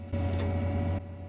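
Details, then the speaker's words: 1999 Compaq Presario 5441 desktop's internal modem, no phone line connected, on hang-up: short relay click, brief low hum about a second, another click; normal modem relay operation. "hear the little relay and they're clicking on and off it's pretty interesting"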